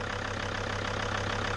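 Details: T1N Mercedes Sprinter diesel, first start after sitting over a year: even, steady diesel clatter at idle with a regular pulse and no misses or knocks; idles smoothly, purring.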